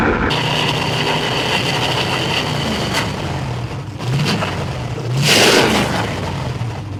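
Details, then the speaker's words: Ford Flathead V8, about 265 cu in, 4-inch stroke, four-barrel carburetor, on a run stand, no tachometer: smooth, steady run with two clean rises in revs and no knocks or misses; healthy. "Oh, that sounds great. That is great, Ed. Wow, that's beautiful. It starts right up."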